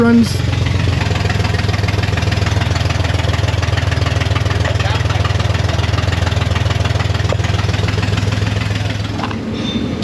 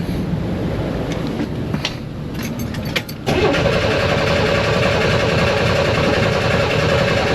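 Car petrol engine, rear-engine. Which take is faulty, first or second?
second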